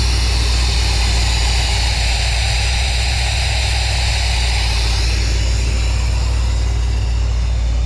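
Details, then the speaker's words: Squarebody Chevy dually V8 after an HEI distributor rebuild and moving the plug wires ahead one position; previously wouldn't run. Loud, steady low rumble with an even beat and no misses; smooth, healthy normal idle. "And now it's started and it's sitting here and idling and all happy. And it's not doing anything stupid, so. And it sounds good, which is awesome."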